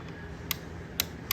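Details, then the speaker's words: Nitrous wiring board on the bench with battery hooked up, trans brake input switched on: three sharp, crisp clicks about half a second apart from the trans brake relay over a quiet room; relay switching cleanly and working normally. "Okay, so first, the trans brake in. If you can hear that, it clicked."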